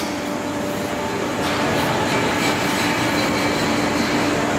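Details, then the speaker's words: 1V340 machine tool axis drive motor after control retrofit to West Labs WL4T with KEMTOK drive, hydraulic station running; steady low hum under loud pump hiss while motor holds position against turning; normal servo holding hum. "Он, если так почувствовать, он немножко гудит. слышно. Я его пытаюсь повернуть в одну сторону, в другую, то есть он сейчас начал удерживаться. То есть так и должен быть мотор."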